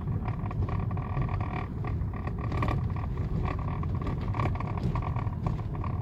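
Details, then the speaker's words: 2009 Lexus GS350 driven on a rough unpaved road: a constant low rumble with scattered sharp clatters on bumps, heard inside the cabin rather than from the underbody; a loose bolt was found, and tightening it fixed the rattle. "이쪽 이쪽 어딘가에서 뭔가 굴러가는 소음이 난 거 같아요 뭐 볼트 너트가 풀렸거나"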